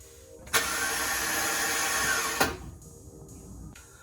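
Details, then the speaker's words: 2013 Ford F-150 5.0 in mid-20s cold weather, a problem worsening over a couple of weeks: a two-second whirring burst starts and stops with no catch. The starter spins but won't engage and is replaced. "As you can hear, it doesn't want to engage. So we're going to change the starter out, and we're going to start under the hood by disconnecting the battery."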